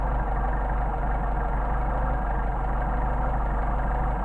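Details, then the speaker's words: Mercedes 190SL with rebuilt Solex carburetors, idle mixture screw backed out to its sweet spot: steady, even low idle with no misses or hunting; normal idle. "back it out we get our best running here at the grade again so we want the sweet spot right in between and you can obviously do that by hearing but you can also do it with the tachometer"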